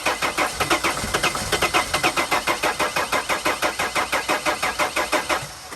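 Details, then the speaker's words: T1N Sprinter diesel van (2000-2006): steady starter cranking with uneven firing catches that never pick up; getting some fuel but won't start. "Now, if it gets any fuel, it's going to sound more like"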